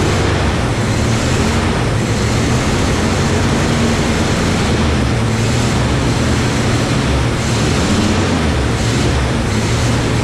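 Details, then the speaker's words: Barn-find Camaro after reinstalling a freshly rebuilt carburetor and tightening a leaking fuel filter fitting: loud, steady idle held far above normal that never settles, caused by a completely disconnected vacuum line. "I couldn't get the idle down for the life of me. And then I realized that I'm a meatthead because I had this vacuum line completely disconnected. So, of course, it was idling to the moon and back."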